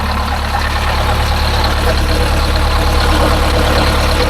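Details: Detroit Diesel 8V-71 idling, still warming up with coolant flowing to the heater, after a new starter (part 6924N) was installed: steady, even clatter with a deep, smooth rumble, no knocks or misses; healthy.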